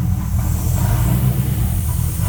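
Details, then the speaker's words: Crown Vic engine and chassis in a truck swap, first start after primed fuel and the wiring cut down; an uneven, lumpy wavering drone, running rough and not pulling. Owner suspects an intake leak, and ABS and check engine lights are on. "like I said it's running crappy cuz it's not pulling and it sounds like it's leaking too from like the intake or something like that so we'll have to look at that"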